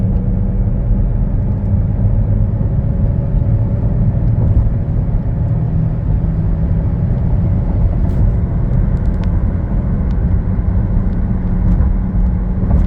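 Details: Driving, heard from the cabin: a deep steady low drone under road rumble, rising with road speed; first suspected as a wheel bearing or tires, it turned out to be a worn rear differential (transfer case also at fault).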